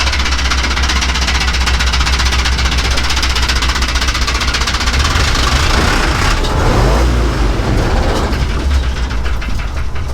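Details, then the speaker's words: 1965 Chevrolet junkyard truck engine on first start after sitting: rough fast tapping about four beats a second over the rumble, lifters ticking until oil pressure builds, then cleaning up. "Okay, touch it. Oh yeah, sounds good, sounds good. I think she's a tapping."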